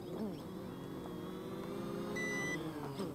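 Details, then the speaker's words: Bayangtoys X16W brushless quadcopter landing: props whine settling, a long high beep mid-clip, then motors winding off; an auto-landing, suspected low-battery landing followed by shutdown. "okay I don't know what that was I pressed the button again and it shut itself off so maybe that was a low battery landing and Then followed by shutdown Landing that was probably low battery Landing"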